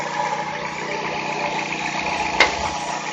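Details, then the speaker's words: 2008 Dodge Avenger, after intermittent crank-no-start fixed by repairing a broken injector wire: steady, even idle hum with no misses or knocks, one brief tap partway; normal idle after repair. "that was it so we fixed the problem if the car runs great now"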